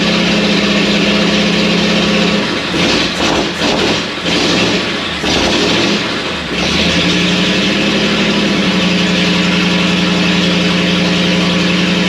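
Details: First start of a freshly built, tight 59AB flathead in a 1937 Ford taildragger after a starter swap on a weak 6V system: rough stumbling, then a steady, even idle with no knocks; about 30 psi oil pressure, no radiator fitted yet.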